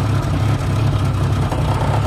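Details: 1989 Jeep Cherokee XJ 4.0L I6 Renix with AW4 automatic, after replacing suspected cracked flexplate: steady, even low rumble at idle with no knocks, ticks or rattles; engine sounds smooth and settled.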